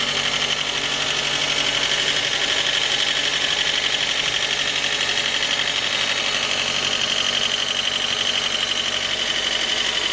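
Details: J20A engine, 2010, cold idle: sharp, very regular metallic knock about four per second. Knock began near 10,000 km and worsened after oil changes; valves, compression and oil pressure were fine. Cause: scored crankshaft journal on cylinder 3; short block replaced.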